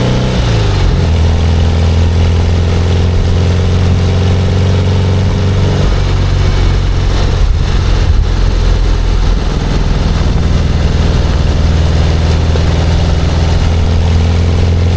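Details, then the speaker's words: 57-year-old air-cooled VW Bus with newly fitted Vintage Speed exhaust after the tailpipe fell off, after a cold start, driving through the gears. Deep, even thrum, smooth revs, no knocks or misses, perhaps slightly quieter than standard: healthy. "So, that was a cold start and as you can hear, is running a lot better. And that exhaust, I think it sounds a little bit quieter than standard."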